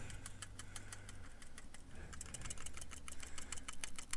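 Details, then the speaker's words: Asiahorse fan controller box for the PC build, shaken by hand: irregular light ticks and clicks as a loose part rattles around inside the housing. Internal rattle. "You can hear something rattling around in that damn thing. Complete junk."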